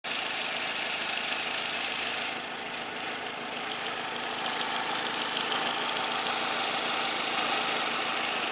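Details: 2003 Vauxhall Vectra C SRi 2.2 at idle: light, crisp tick about three times a second, fast even clatter from the top of the engine; cause unknown.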